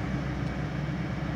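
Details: 2003 Lincoln Navigator 5.4L V8 (crank-no-start complaint) idling smoothly with an even low rumble, no misses or knocks, after starting; fault confirmed as the fuel pump relay in the junction box, to be replaced or bypassed.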